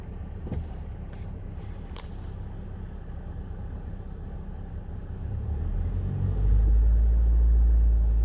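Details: 2005 Honda Civic DX after rod-knock repair (crankshaft polished, reassembled), revved: low rumble building evenly with rpm, no knocking or ticking; bottom end sounds healthy.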